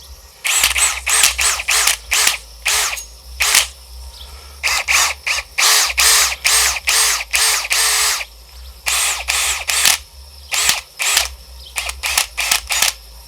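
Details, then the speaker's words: New AEG BSB18BL-0 cordless drill free-running with no load: high whine in short bursts with an uneven smacking clunk inside; cause unknown. "it's almost like something's smacking away inside it isn't it"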